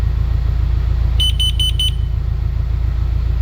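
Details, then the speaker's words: Four quick high-pitched beeps from a carbon monoxide alarm, reading 990 and dropping after being removed from the source during a test, over a steady low engine rumble; it stops beeping at zero. "Lower. And once it gets zero, it'll stop beeping."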